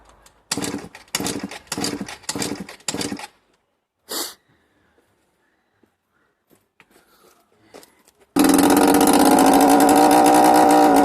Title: Bike won't start